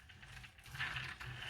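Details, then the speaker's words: Tamiya TT-01 R34 RC car rolled by hand after shaving a full millimetre off both sides of the front cover: only soft pinion and spur gear whirring remains, and the earlier repeating click is gone. "The only clicking, well, the only noise you can hear now is the pinion and the spur gear moving, like on any RC car. But for the clicking itself, it's completely stopped."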